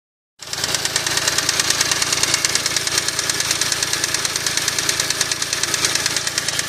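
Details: Smart Roadster at idle: a sharp, steady knock at about three per second; engine knock that the owner was told might be the big end bearings, possibly needing a crank regrind or replacement, unconfirmed.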